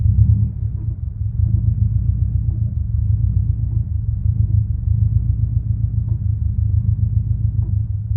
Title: Clutch rattle noise